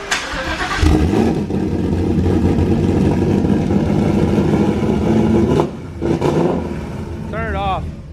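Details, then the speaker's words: Turbocharged car after turbo manifold crack welding: a long crank with ragged sputtering catches that never clean up; the engine was badly flooded, fuel shooting out the exhaust and pooling, cause of the fuel unknown. "You had a lot of fuel in there. Holy crap. It was very flooded. It just shot all that out the exhaust."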